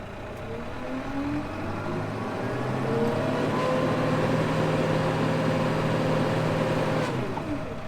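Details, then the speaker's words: 2018 Case IH Farmall 120C tractor, 120 horsepower diesel: smooth, even drone rising slightly with throttle, steady pitch, no knocks or misses; normal running. "the sound of case IH power at its finest it's a 2018 model 120 horsepower"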